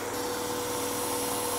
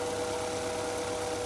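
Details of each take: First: 1999 Acura Integra 1.8 L DOHC with high idle and check engine light: steady airy hiss and thin whistle over raised idle from a vacuum leak on one side, vacuum gauge about 21 inches, engine running lean. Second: 1999 Acura Integra 1.8 L DOHC petrol engine, after repairing vacuum leak behind a vacuum valve that caused high idle and check engine light; rpm back down to normal, smooth even idle with no intake hiss.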